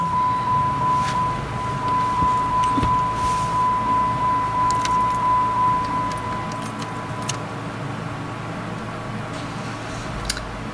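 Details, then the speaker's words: 2012 Jeep Compass with crank-no-start (codes P0335 crankshaft sensor, P0522 oil pressure sensor) after crankshaft position sensor replacement: cranks briefly, catches on first key turn, settles into even steady idle under dash chime; normal start and idle. "Yeah, the first key turn, the engine start. So yeah, like I said earlier, most likely the crankshaft position sensor, because there's two codes in there, so that's why we have to replace both sensors."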